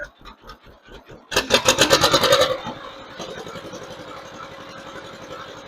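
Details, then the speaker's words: 1958 John Deere 530 after carburetor rebuild, new fuel lines and sediment bowl, plugs gapped: short throttle burst then steady quiet idle about four even pulses a second; healthy, though slightly rich under load with black smoke and slight choke needed. "Okay, we're going to be real happy with our idle right there, I think."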